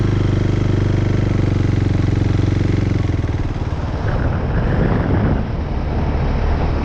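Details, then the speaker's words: KTM 390 Duke single-cylinder: low idle thump goes uneven and lumpy, then revs rise; stalls at idle and low speed, avoided by keeping revs up slightly. Owner doubts throttle body, plans new spark plug and air filter; cause unconfirmed. "Now, I find I can compensate for that stall just by keeping the revs up a smidge."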